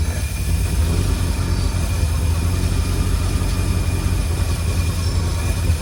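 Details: 1952 Cadillac Series 62 barn-find V8, revived after decades of sitting, idling warmed up: a deep steady idle with a faint constant whir.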